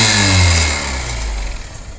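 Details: Honda CBF125 single-cylinder blipping and dropping back: crisp, hissy exhaust note from a leak at the cylinder head exhaust port, where the single-use seal needs replacing.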